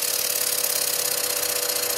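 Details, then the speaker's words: Stuart No 4 steam engine built from cast iron castings, still running in, on compressed air at 30 PSI: rapid regular hissing chuffs, about a dozen a second, steady with no knocks; runs smoothly without bouncing, counterweights working. "And as you can see, the engine's not even though it's running at quite a handsome speed, it's not dancing around or bouncing around at all."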